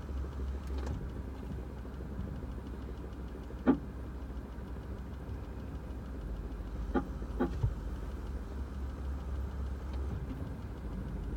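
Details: 2006 Toyota Prius ABS brake actuator pump: short, sharp chirps every few seconds over a low steady hum.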